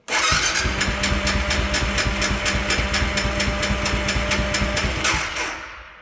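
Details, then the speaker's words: 2003 BMW F650 GS Dakar, about 50,000 miles, GS-911 tool attached: steady starter churn with even compression beats about two per second, almost firing, then stops without catching; crank no start, owner suspects it isn't cranking fast enough. "I'm curious to see how fast the revolutions per me are to be right here and I suspect it's not cranking over fast enough that's what I suspect is wrong"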